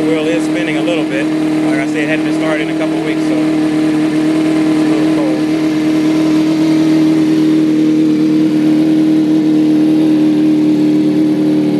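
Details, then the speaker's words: 2005 Kawasaki ZX-6R 636cc, 7,219 miles, Muzzy full exhaust, Power Commander, in neutral: strong even exhaust note holding steady pitch as it warms, no knocks or misses; running really smooth, no issues. "so sounds like it just about warmed up see it's running really smooth no issues no issues whatsoever with this bike"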